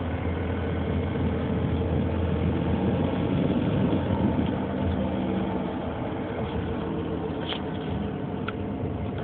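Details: 2003 Nissan Murano at steady idle with a low uneven rumble and faint repeating pulse; owner reports a strange engine sound, source unclear.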